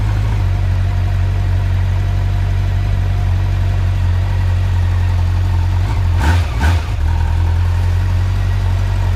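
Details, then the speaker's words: Honda Nighthawk motorcycle cold start at about 15–19°F, below half choke at about 1200 rpm: steady, even low burble with no misses or knocks, a cold engine idling smoothly while the oil warms. "I'll let it run for a little bit let it warm up let the oil warm up a little bit I guess right now it's on it's not even it's it's below half choke right now sitting at about 12200 RPMs"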